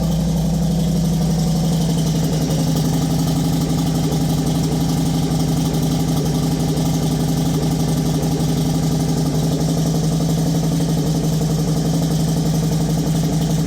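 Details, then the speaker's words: Motorcycle fired in neutral after reinstalling gas tank following a base plate fix: steady, even idle with smooth low beat about four per second, fuel pump primer audible, no extra ticks or knocks; healthy engine. "That's the sound I love. When your motor ain't making no extra noises."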